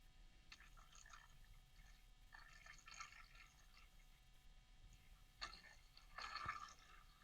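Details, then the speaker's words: ID-Cooling DashFlow 360 XT Lite 360mm AIO cooler, pump on PWM: quiet hum with scattered drips and gurgles as lots of trapped air passes through the pump: air bubbles in cooling loop. "Yeah, that's a lot of air in there. What I'm going to try to do here is just move the radiator to try and get the air into the radiator."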